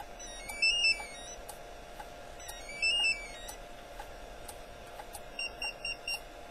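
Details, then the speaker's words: Encore E4 car alarm bench test, pager triggered by car lock: high chirping beep bursts, two longer double tones then four short beeps, about six rings; normal pager alert. "I'm going to test the pager now we're gonna hit it with a car lock that's what it sounds like so they get about six rings and that's about it"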